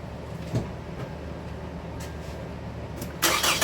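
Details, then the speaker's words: 2013 Toyota Venza 2.7L first startup after engine work: steady, even idle with a slightly throaty, louder exhaust note from the long-runner manifold design; no knocking, runs amazing. "Still runs amazing. I will say, because of the exhaust manifold design, these engines are just a tad bit louder than the average vehicle."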